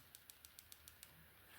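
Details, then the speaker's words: Nintendo Switch Lite R shoulder button after refurbishing, spring refitted: seven crisp, evenly spaced clicks in a quiet room, the button clicking cleanly again. Normal button click. "so I'll just put the spring in and we can see what it properly sounds like well I can try try to put the spring in there we go working good again"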